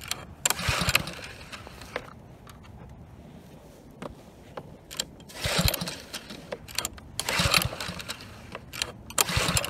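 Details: Husky HU80709A power washer, Kohler Courage XT7 engine, pump removed, said to run well: repeated pull-cord rasps with brief whirring, no catch; won't start, spark present, owner suspects gummed carburetor, later fixed by carb cleaning.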